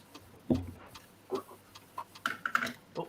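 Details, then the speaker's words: Floppy drive formatting a Maxell double-density disk in a quiet room: sharp dry clicks about every half second, slightly uneven, normal head stepping during format. "hey i can hear it clicking all the way through oh yeah here we go lovely sound it is"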